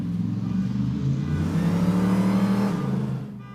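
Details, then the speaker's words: Hemi Gremmie blasted up and down the street under hard throttle after a voltage fix for a rev-limiting problem: a strong pull rising smoothly through the revs with no stutter or cut-out at the top, the rev limiter gone and loud enough to set off a car alarm. "woohoo so far so good F no more rev limiter and it's just loud enough to set off the car alarm"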